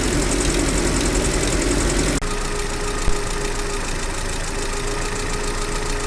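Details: GAZelle Business, UMZ-40216 engine after cylinder head replacement (cracked head, coolant loss, overheating): idle with light rapid top-end ticking that changes partway, before and after swapping the rocker arm; pushrod/rocker fouling causing tappet knock.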